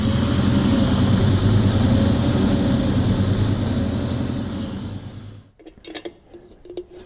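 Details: 1970 Chevelle V8 with a newly installed Holley Terminator EFI, at operating temperature after stationary ECU learning. A smooth, even idle for about five seconds with no misses, then it is switched off. Normal warm idle.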